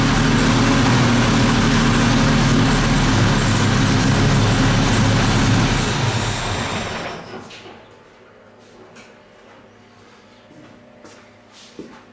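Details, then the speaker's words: 1958 Jaguar XK150 roadster, restored, started cold on automatic choke, with no throttle pedal fitted; steady, slightly high-revving even idle: cold fast idle from the automatic choke. "this is on an automatic choke there's no choke on this as such automatic um so it is a bit higher revvy when it first starts up when it's cold"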